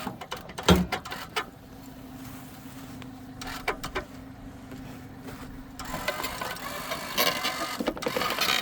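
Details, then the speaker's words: Subaru Sambar mini truck's crane lifting a man's weight plus buckets: quiet steady electric motor hum for about four seconds with no straining, grinding or slowing; winch handles the load normally. "All right, it is holding my weight and the buckets here."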